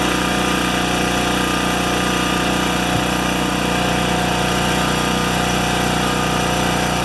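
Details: Makita G2400R generator after fitting a non-OEM replacement carburetor, unloaded; steady, even single-cylinder drone at constant speed with no hunting, surging or knocks, same RPM as before; owner hopes the carb won't leak; normal running.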